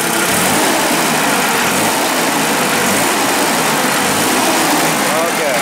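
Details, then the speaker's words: Nissan forklift engine after swapping the defective ignition coil for a known-good used coil from a working truck, snap test repeated: loud, even engine noise holds steady without stumbles, misses or popping; smooth running after repair. "they replaced it so this is now a good working coil we know because it's from another truck I'm gonna start it right now do the staff test again"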